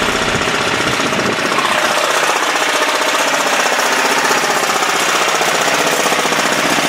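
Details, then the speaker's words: 10 hp single-cylinder Yanmar-clone LaunTop diesel, cold start at about -4°C, running under a minute: steady even clatter about four beats a second, no misses; smokes more at low rpm, usually about 20 minutes before smoke stops. "It's not too bad right now, but that's, you know, it only been running for less than a minute, or a minute. Anyway, and on lower RPM, it normally smokes a little bit more than always, so I'm going to let it warm up for"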